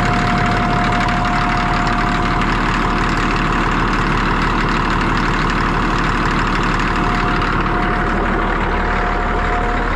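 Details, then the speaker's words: Cat D6D dozer, late 70s/early 80s, diesel just started easily, steady even rumble at idle, no knocks or stumbles; engine bay covered in hydraulic fluid, blade hose leak suspected. Normal diesel idle. "it actually fired right up I didn't get it on video but it started pretty dang good"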